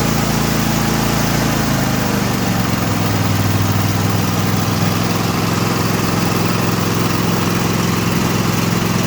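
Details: Craftsman T8200 Pro riding mower (2016, 46 hours), 24 hp Kohler Elite KT735-3068, after carburetor repair and flushed fuel lines: steady low drone holding even speed, no hunting or stumbling; running cleanly and smoothly.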